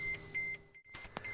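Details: 2003 Mercedes W211 2.7 CDI (pre-facelift), after a brake caliper repair and bleeding: short high-pitched SBC brake warning beeps repeat about twice a second in a quiet cabin, ignition on, while the SBC is inactive awaiting scanner activation.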